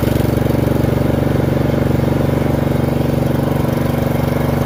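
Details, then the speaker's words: Murray 30-inch riding mower single-cylinder engine running on a new aftermarket carburetor fitted because the old Nikki carburetor made it surge, driving across the yard. Even, steady thump with no misses or knocks. Normal running. "There we go. We're moving. Sounds good, actually."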